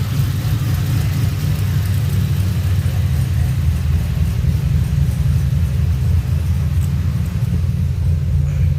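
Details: 2007 Pontiac GXP LS4 V8 after rear head bolt thread repair, second start: low steady rumble with even beat, no knocks or misses; normal idle.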